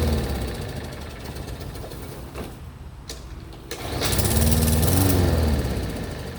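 Repeated pull-cranking chugs around four per second, engine catches briefly but never settles into running; mower won't start.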